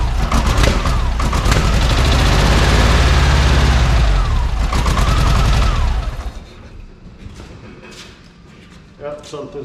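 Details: VW Beetle at its first start after the oil sump and oil pump cover were redone, with electronic ignition; the car had been tipped on end, so oil may be on the 3–4 side plugs. Harsh rapid popping and banging for about six seconds, then it dies: the plug leads are in the wrong firing order.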